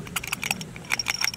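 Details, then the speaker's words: Old carburetor removed from Ford Jubilee tractor, shaken by hand: light irregular metallic rattle from an internal flap apparently missing its spring; new carb doesn't rattle; owner believes this was the fault. "there's one flap in there it looks like it's missing a spring and i bet you that's what it was because you hear it listen"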